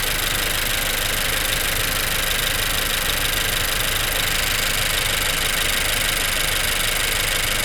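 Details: 2016 Honda Civic petrol engine cold-started after sitting about 2 hours: uneven lumpy idle pulse about twice a second under a hissy, rattly top end with a slight grind; owner suspects VTC actuator, not confirmed.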